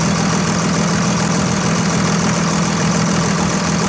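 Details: 2001 Dodge Ram 2500 Cummins turbo diesel started after fuel filter change: loud, steady diesel clatter at even idle with no stumbling or surging; running smoothly and healthy.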